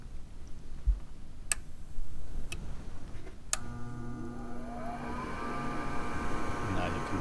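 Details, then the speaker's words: Gas furnace during no-heat/no-AC troubleshooting: a few clicks, then the inducer fan motor hums up to a steady tone before the igniter begins to glow. Normal inducer start. "hear that the fan you know started and now we're going to be watching for the igniter to start to glow"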